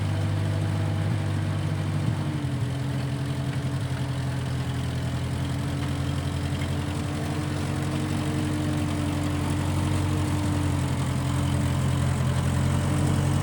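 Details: 1955 Massey Ferguson MF65 tractor, in family 30+ years, restarted after sitting a couple years; carb cleaned, Marvel Schebler carb may need slight dialing in. Steady, even low idle, smooth unchanging beat, no knocks or misses; normal idle.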